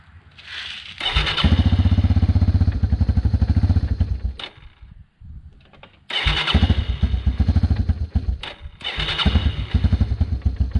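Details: 1996 Yamaha Timberwolf 250 ATV single-cylinder, after fuel system cleaned and bad gas drained (previously wouldn't stay running): catches, quick even popping for a few seconds, drops off, fires straight back up; starts and runs fine.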